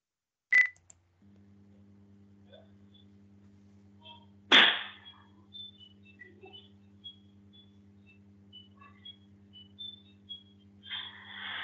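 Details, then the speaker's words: E-scooter/e-bike lithium-ion batteries on charge in a flat in China: two sharp pops over a quiet electrical hum, then scattered crackles and a rising hiss; thermal runaway with safety vents popping. "batteries are going into thermal runaway and what you will hear is the popping of the safety vents"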